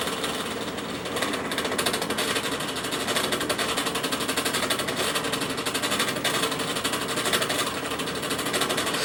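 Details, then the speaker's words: Vintage Bersted electric fan with oscillation engaged: fast uneven clatter about four per second over the fan hum as the oscillating drive binds and sticks; cause unknown, bearings seem fine. "okay this thing's it's stuck there's something going on here something is okay quit it"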